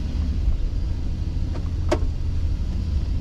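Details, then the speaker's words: Chevy Express van on a test drive on a 75-degree day after exhaust manifold replacement: low, even engine drone with no puffing, ticking or rasp from the manifold; the exhaust is sealed and far quieter than the loud leak before. "All right, my battery's gonna die, but I am taking the van out on a test drive, and it is amazingly quiet."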